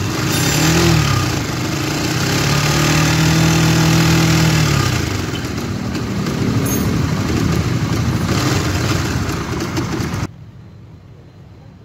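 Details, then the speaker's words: Honda GTR motorcycle at idle: a loud, harsh, uneven clatter rides over the engine beat; the mechanic blames the cam chain tensioner, a known GTR/Sonic/CB LED problem, and replaces it. "ya guys Suaranya sangat kasar biasanya untuk permasalan seperti ini adalah bagian sensionernya"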